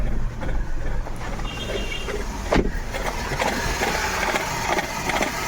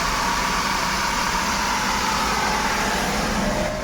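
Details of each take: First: Maruti Suzuki WagonR with check light on, customer complaint of pickup loss: a rough idle with irregular stumbles and puffs, a full misfire that may stall. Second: Maruti Suzuki WagonR after repair: steady even idle with no stumbles or jerks; the earlier misfire, stalling and check light were caused by a manifold pressure sensor wiring fault, now fixed.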